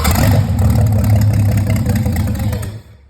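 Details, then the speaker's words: Rebuilt Volvo Penta 4.3 long block on a floor test stand, cold, with gas pumped first and the choke and carburetor bowl leak fixed earlier; it catches and runs roughly under three seconds, then dies; a fuel-feed problem is suspected (hose or empty filter). "All right, that's a little cold. Go ahead, fire it up. Come on. But it does run, so we're going to mess with the fuel system a little bit."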